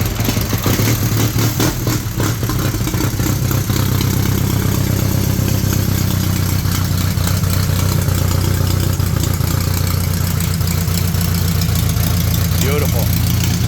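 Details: 1931 Excelsior Henderson KJ four-cylinder motorcycle, first start in over 50 years: steady, slightly clattery idle with the odd throttle blip, running evenly on all cylinders. Normal idle.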